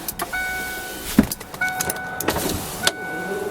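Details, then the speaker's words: 1993 Ford Thunderbird SC Super Coupe: power window motor whirs with clunks at stops and gets slow partway, seemingly when going down, not up. "That one gets a little slow right there. Looks like not going up, just going down. Right there it gets slow."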